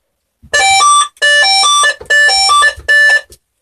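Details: Burglar alarm system put into test mode for a final test: four loud bursts of stepping two-tone warble, each under a second with short gaps. The alarm sounder is working properly.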